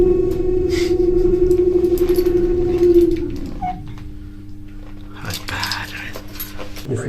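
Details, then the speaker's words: Xinda lift motor on a service lift less than 10 years old: strong, steady mid-pitched whine with a rough edge that drops away as the lift slows, then a quieter hum. Suspected worn bearings, not confirmed. Loud motor whine. "just oh my days oh holy hell that's terrible oh that's bad there less than 10 years old isn't it"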